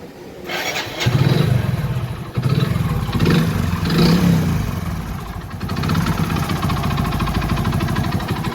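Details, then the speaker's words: Hero HF Deluxe motorcycle engine starts and idles with a fast metallic rattle riding over the beat, diagnosed as a crankshaft fault before engine teardown. "इसमें से खड़खड़ाहट की आवाज आ रही है। सुनो, मैं इसे दोबारा चला कर देखता हूँ। ठीक है? तो दोस्तों, क्रैंक में कुछ समस्या है।"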